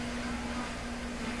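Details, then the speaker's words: Nordmende 3004C radio receiving FM near 107 before any FM IF alignment. A steady low buzzing hum sits under the station audio; its source is not yet identified. "107 is. Hear the hum? Hum, hum, hum."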